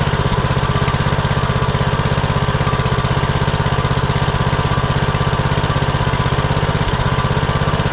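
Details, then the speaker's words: Kohler Courage 19 on Troy-Bilt Bronco 42" riding mower, previously surging and dying off choke after aftermarket carburetor install; after fitting new carburetor and gaskets, no adjustment: even steady idle, regular beat, no hunting or dips; runs beautifully. "no adjustment Straight Out of the Box runs just beautifully"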